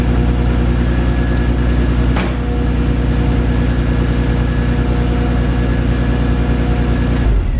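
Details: Audi 3.2 V6 idling after alternator replacement, battery charged overnight; smooth, even idle with steady low hum, no knocks or squeals; 14 volts, charging fixed.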